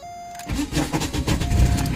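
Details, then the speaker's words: 1991 VW Jetta 1.6 diesel, warm, no glow plug wait: uneven cranking bursts with a thin whirring as the starter spins free; starter slipping on the flywheel because a previous owner stripped the starter mount bolt threads, front still stripped. "you can hear it slip and that's a problem when you don't have to start a tight enough to the face that's gone to the Flyway properly"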